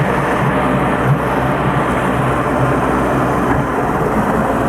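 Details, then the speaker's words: 1992 Mercury 50HP two-stroke outboard running slightly rich: rough uneven running with irregular pops as it loads up, getting double oil from oil premixed in the gas plus the onboard oil tank. "And the reason it's popping, Bill, you hear it, it's loading up because, like I said, we run oil in our gas, plus we have an onboard oil tank, so it's getting kind of double oil right now."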